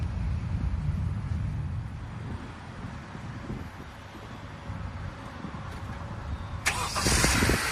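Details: 2016 Honda Accord Sport 2.4L CVT after a starter replacement: the engine turns over cleanly with no clicking and starts instantly, confirming the old starter was the fault. Before, it only clicked and sometimes started after several tries.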